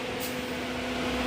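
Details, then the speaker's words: 2019 Chevy Camaro 3.6 with P0128 and intermittent check engine light, temperature gauge not moving: radiator fans run constantly, even after engine shutdown, a steady whooshing hum; suspected thermostat/ECT sensor fault, both to be replaced. "And you can hear those fans. The fan is still running. Alright, that's not supposed to be like that."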